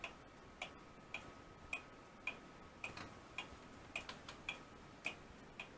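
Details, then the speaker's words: Restored Seth Thomas clock movement with repaired winding arbor and rebuilt pivots, hanging with its weight and running outside the case, no gong fitted yet: a crisp, even tick-tock with no skips, running strong and healthy. "we've got it up running hanging here that's the weight you hear it ticking i just did the count no gong yet"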